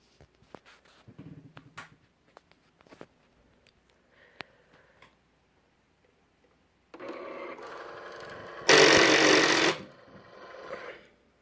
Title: Cricut Explore Air 2 grinding/clicking noise